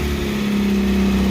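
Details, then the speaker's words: Cold start of a Pontiac Fiero 2.5 L Iron Duke after a belt-squeal fix (the missing bottom alternator-to-block bolt was installed): a steady, even idle with a smooth low hum and no belt squeal or chirp. "I'm just gonna do a a cold start right now and show you [Music] [Music] as you can see there's no more belt wheel"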